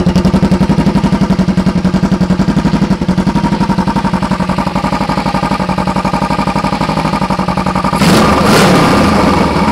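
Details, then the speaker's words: 2008 Kawasaki EX250 with an EX500 engine swap: even, steady exhaust pulse of about four beats a second, then a brief rev, with no knocking, banging or tapping. Normal running. "motor sounds good I don't really hear me knocking banging and tapping and going on in there so that's always nice to hear"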